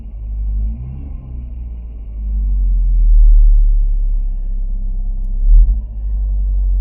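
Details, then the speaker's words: 1994 VW Golf 3 Variant 1.8 with Bosch mono injection, after injection gasket replacement: low, even rumble holding steady with slight swell, no misses, ticks or vacuum leaks; smooth, healthy idle. "Okay, so now I'm gonna start the car and hopefully it runs. Okay, it's on. Seems to be idling nicely."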